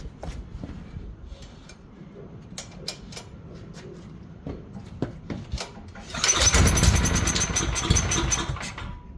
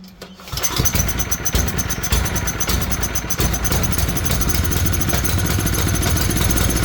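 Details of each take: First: Tecumseh generator bought as non-running with suspected fuel issues: after a few pulls it catches, runs briskly about three seconds, then dies abruptly. The oil is slightly low, so the low-oil cutoff is suspected; the sensor wire will be disconnected next. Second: Tecumseh generator bought as non-running, started with the brown low-oil sensor wire disconnected; oil was later found low. Catches after a short crank and settles into a steady, even single-cylinder run with no stumbling or shutdown.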